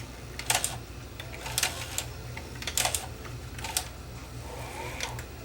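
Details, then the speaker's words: Sony SL330 Betamax (711B3 chassis, late mono model) cycling play/stop: sharp clicks and clunks about once a second with faint motor whir that keeps stopping; loading mechanism jams, cause unknown, either flat spot on motor or mechanism physically jamming. "there now it's stuck again if I just give it a bit of a turn it will move so the motor is sticking it's either going to be a flat spot on the motor or it's actually physically jamming"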